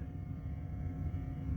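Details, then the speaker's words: 1981 Stern Viper pinball machine powered up after installing boards: steady low hum with a faint higher buzz, unchanging; electrical buzzing of unknown source. "Wait a minute. I hear a buzzing. And I don't know that that is a good thing. What is the buzzing?"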